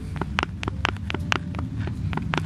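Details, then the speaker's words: Vectra C old driveshaft removed during a gearbox replacement, twisted by hand with the mic held close: sharp hollow clunks, about eight in under three seconds. Worn inner CV joint with play, behind the knocking noise; the new shaft is silent. "I'll show you the noise this one makes compared to what it should sound like alright so if I grab this one I will show you this before but show you again if I twist you can hear pump it up to the microphone that knock"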